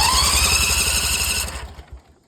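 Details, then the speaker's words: Ferris IS 2000Z zero-turn mower, started after an oil change with the filter not yet filled: harsh, loud, open popping exhaust bark that then cuts off; engine running with no muffler fitted. "The thing don't like it. hoopty, ain't it? Jeez. I tried to tell them they needed a muffler, but they wanted a lot for a muffler, so we said, Let's see."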